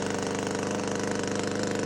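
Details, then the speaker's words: Power PRO24CCHTA 24cc two-stroke petrol hedge trimmer after carburettor replacement, previously surging intermittently at full trigger from a suspected carburettor blockage; now holds a high, even buzz with no surging, running steady. "so you got solid rev there now so I'm pretty uh satisfied with that"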